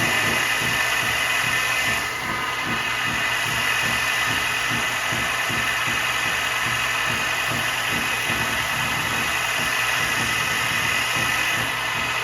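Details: New Grizzly H8192 1x42 belt/disc sander, first run after assembly checking belt tracking: steady even whir with constant motor hum and belt hiss, no knocks or slapping; running smoothly.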